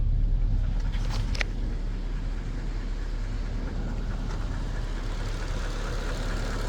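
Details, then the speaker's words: Mercedes-Benz S430/S500 W220 V8 after sitting 18–19 months, idling after BG engine restoration oil change: faint quick tick or knock under accessory noise, considerably quieter than before but still present; source unconfirmed. "can still hear that little bit of that tick, or for lack of a better phraseology, that knock, but it is considerably more quiet."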